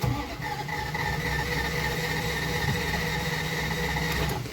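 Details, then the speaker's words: 1989 Dodge Ramcharger 2WD, sat about 14 years behind a dealership, possible vacuum leak: starter spins engine at steady rate but it never fires; crank no-start, no spark found despite all attempts. "i really hate to leave on a sad note but no matter what i did no matter how hard i tried i could not get this thing to spark"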